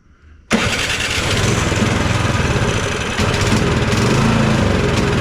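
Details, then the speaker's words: Cub Cadet 2X 24 IP snowblower (model 31AM6HVRB10) with an MTD Powermore 243cc IntelliPower engine (875-WU), choked and primed; it catches instantly, runs ragged and uneven, and stays running only while primed. Not getting enough fuel, or an IntelliPower fault. "this unit will stay running as long as we keep priming it to me that tells me obviously we're not getting enough fuel"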